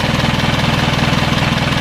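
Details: Isuzu 4HL1 diesel after troubleshooting a crank-but-no-start fault involving the fuel shut-off valve: steady, even clatter at about thirteen firing pulses a second, no misses or stumbles; healthy idle.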